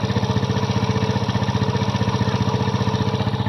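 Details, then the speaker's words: Kymco Visar 110 scooter engine after fitting a new crankshaft and connecting rod assembly: even, steady put-put at fast idle, the earlier connecting-rod knock gone, bottom end smooth and healthy. "Nawala na ang tunog ng kanyang makina. Natunog ka lang pag connecting rod dahil napalitan natin siya ng bagong crank shop assembly."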